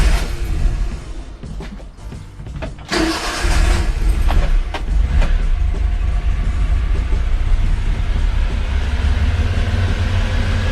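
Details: 1989 Honda Acty just after carburetor replacement, started after priming the fuel pump: it catches after brief cranking and settles into a steady, even low idle with no misses or knocks. Healthy start.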